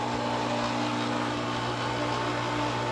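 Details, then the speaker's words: Seven-year-old Century/Pentair 1.5 hp pool pump motor on a Hayward pump, once rebuilt with new bearings and going through capacitors: loud constant drone with low hum and thin whine, not smooth or quiet; due for replacement. "we start it up. motor is making a lot of noise, but uh what happens is the capacitor keeps going."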